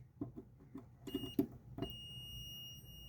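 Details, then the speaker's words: Steady high continuity-meter tone after a few probe clicks, checking the ground wiring to the line filter box and ground pin on a 1985 Pinstar Gamatron pinball machine's power supply; ground path has good continuity. "Yep, continuity is good to the filter box. Yeah, the ground wires on there good."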